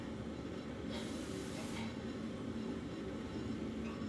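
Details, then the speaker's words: Electric steam boiler heating system running at just under 7 psi: a low, steady rumble with a burst of hissing as steam passes through the radiators. Normal operation. "so you can hear the radiators in the background there they're definitely there's definitely steam going through those radiators"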